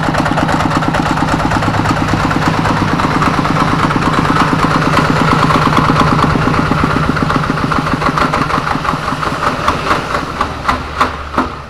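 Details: Kubota RD85DI2S single-cylinder diesel tractor engine after repair (worn piston and bearings; complaints were coolant loss, oil from exhaust, misfiring), hand-crank started in rain: catches and settles into a steady thump, about three beats a second; normal idle.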